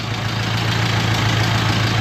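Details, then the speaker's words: 1950s–60s "doodle bug", possibly a former golf-course or highway mower, just started after the coil was powered with a jumper wire. Steady, even low throb at idle with no misses or knocks; oil pressure present, running smoothly. Normal idle. "That thing's running good. It was running good. Had oil pressure."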